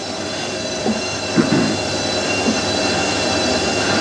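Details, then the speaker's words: Hotpoint 9530 washing machine after carbon brush and solenoid valve replacement, final 1000 rpm spin: loud steady high-speed spin with a thin screechy edge from new brushes bedding in; motor sounds strong, normal spin. "the new uh brushes make the motor sound like really powerful they"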